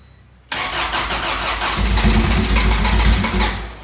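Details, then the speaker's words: EG hatchback project car first start after fuel and coolant work; catches at once and races to a high, uneven idle because vacuum hoses were left disconnected. "I'm stupid and I didn't connect the hoses so that explains why the car was so accelerated on the first start but it turned on so that's a good sign"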